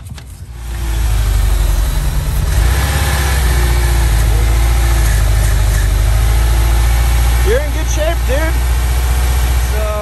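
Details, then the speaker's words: VW camper van revived after 10–15 years parked in a field, at idle with the oxygen sensor disconnected to force open/closed loop: lumpy, uneven idle with a deep thrum and irregular pulses. It is running super rich with heavy smoke on revving. "it is uh running super rich we just disconnected the oxygen sensor hoping to put it into closed loop mode or open loop mode"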